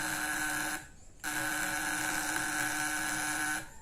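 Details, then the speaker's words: Contact-breaker points (platina) fish-shocker circuit, original condenser refitted after trying a used 11 µF generator capacitor: even, steady high buzz with small spark and smooth sound; voltmeter reading differs. Normal steady buzz. "suara halus percikan api kecil voltmeter juga berbeda 10 teman-teman ya"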